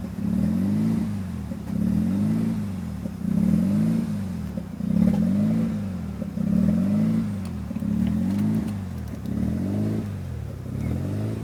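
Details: 1993 RHD Mazda RX7 rotary with newly installed Power FC ECU (wires not cut): idle surges up and down about every second and a half, lumpy and uneven, never settling; rough, hunting idle.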